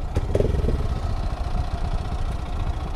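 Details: Honda Grom whose oil starvation mod wasn't pumping oil: a loud, constant, fast metallic tick-tick clatter over a lumpy idle, a piston knock.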